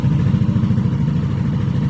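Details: 2021 Yamaha NMAX 155 that suddenly would not start despite a 99% battery, after a blown 7.5 A signal fuse was found: low, even putter with steady rhythm, no knocks or misses; idling smoothly.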